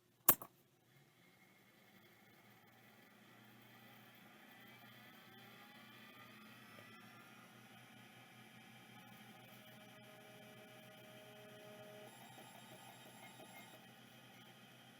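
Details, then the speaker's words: Imported mailbag hard drive that was parked before shipping, powered up first try: a click, then a faint rising whir settling into a soft, steady spindle hum with no scraping or ticking. It spins up cleanly and very quietly. "wow perfect first try and the spindle is beautiful listen to that you can barely hear it that's magnificent"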